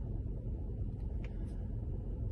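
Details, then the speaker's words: Mercedes E63 AMG V8 idling after a cylinder 7 misfire, with a split coil pack rubber boot glued: low, even burble with steady rhythm, no stumbles; no engine light, no misfire for now. "Got some good news, there's no more misfire. It's a strange one, but yeah, it's running sweet, touch wood."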